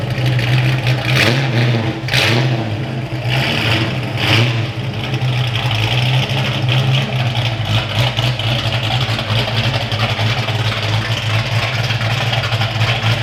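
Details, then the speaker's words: Foxbody Mustang V8 after engine work was wrapped up: catches and settles into steady even lope, deep smooth beat, no top-end ticking; owner says that's how it's supposed to sound. Normal idle. "That's how it's supposed to sound. Love to see it."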